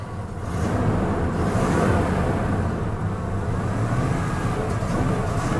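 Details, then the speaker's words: Vehicle with the 5.8 engine that sat a long time with rotten-smelling fuel, a quarter tank: rough, uneven running that sags and nearly stalls whenever throttle is given, with popping; fuel problem suspected. "uh it start I tried stalling out when you give it any gas foreign yeah she's not happy guys"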